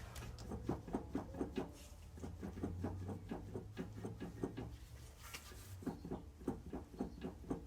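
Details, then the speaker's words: Acura NSX, rear CV axle being removed during oil leak and O2 sensor work: light uneven clunks about four a second as the shaft is rocked by hand; owner suspects play in the axle and possibly the intermediate shaft, unconfirmed. "if I follow the Noise by moving this it doesn't sound just like the axle it sounds like the uh the intermediate shaft too"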